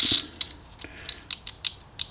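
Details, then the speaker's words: Budget mini wood lathe being inspected for repair: sharp, irregular light clicks and rattles as the part is rocked by hand, because the shaft is simply pushed in with no real bearing; excessive shaft play that adds noise and wear. "Right, so the reason why this one rattles around so much is because basically that's just pushed into there."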